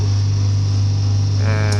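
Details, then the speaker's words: Compressor starting with a low, even hum and no knocks or rattles while air pressure rises toward a 40 PSI set point, with a 35 PSI lower set point; running normally. "so let's start this compressors coming on air pressure is rising"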